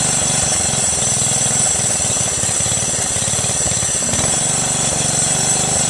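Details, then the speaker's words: Craftsman LT1500 lawn tractor repowered with 12.5 HP Briggs engine, running at idle after oil-filled cylinder was cleared: steady single-cylinder thump with fast metallic chatter; a belt guide keeper touching a nearby part. "how about that man that sound was one of the keepers that guides touching the thing"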